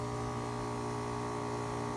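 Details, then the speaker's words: Brand-new heat pump installed one to two months ago that runs, stalls, then runs again: a steady loud low electrical hum with a buzzy edge and no fan rush. It sounds stuck or stalled; cause unknown. "sounds like it's stuck come on get working come on"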